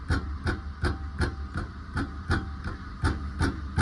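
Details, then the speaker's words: Ford front brake caliper tapped by hand: sharp metallic clacks about three a second that stop when the caliper is held; worn caliper guide pins, noisier over small road bumps. "Friends இது ஒரு calliper பின்னோட noise தான்."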